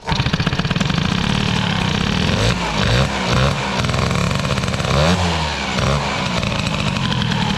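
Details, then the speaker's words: Peugeot 103 moped, Airsal 65 air-cooled hybrid two-stroke, carburetor with unknown jets, mixture screw closed: lumpy burbling that stumbles as revs rise and fall; still running far too rich. "c'est encore gras à mort tout ça je suis encore très très grave"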